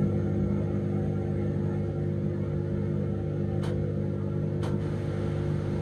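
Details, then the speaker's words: Dishwasher idle over two years, first cycle emptying leftover water from the tank; steady low motor hum with even tone and faint clicks; drain pump works normally, while the wash pump later fails to start. "cuando lo he puesto en marcha y podido observar que inicia el proceso correctamente el primer ciclo que debe de hacer es vaciar todo el agua que pueda quedar dentro del tanque"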